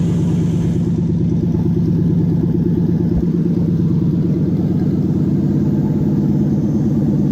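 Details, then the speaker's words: Toyota 1UZ-FE V8 non-VVTi in a UCF20, manual, new relay wiring setup, fuel system just drained, different loom and airflow meter, after earlier fire-and-stop: catches and settles into a firm, even run with no misses. "but you hear it wants to go it's it's got a very positive yes I'm going to go"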